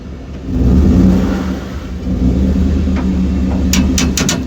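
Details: 2012 Ford F-150 pulling out of a driveway: low engine rumble, then a quick string of sharp pops from the rear end despite new shocks and new springs; cause unknown.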